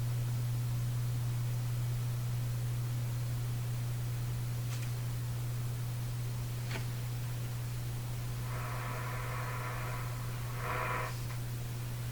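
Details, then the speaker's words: Canadian General Electric A55Z tube radio with #41 output tube, at power-on: deep pulsing mains hum from speaker that smooths but persists; missing filter capacitor wiring suspected, hum seems lower with volume up. "There's that hum. Sounds like a very deep pulsing hum. That's smoothing out."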